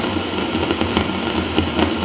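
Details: Fender Vibro King 115 V amp run through a step-down transformer, taken off standby with nothing playing. A loud steady roar and hiss with crackly bursts appears immediately; not reverb-related. Traced to a small failing brown capacitor.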